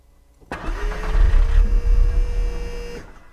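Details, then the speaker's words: Audi TT MK1 with an ongoing starting fault, recorded near the fuel pump just after it started: a steady mid-pitched whine over the idle. The electric fuel pump is running, though the owner suspects it may be tired. "voilà je sais pas si vous avez bien entendu mais moi j'entends bien que la banque fonctionne donc éventuellement elle est fatiguée peut-être"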